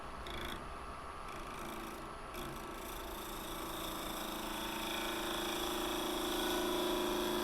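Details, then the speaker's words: Holly bowl blank being turned on a wood lathe, first time turning holly, with a freshly sharpened gouge: rough rapid buzz under a thin singing tone that climbs as it cuts. The tool is chattering on the wood. "Feels like ivory, but you can hear it chattering there."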